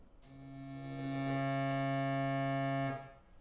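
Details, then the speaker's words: DIY e-bike hub motor with Hall sensors on a VESC controller during resistance and inductance measurement: steady clean electronic tone from the motor for about three seconds, then stops; successful normal test. "the next step is to measure resistance and inductance you're gonna hear we had noises from your motor"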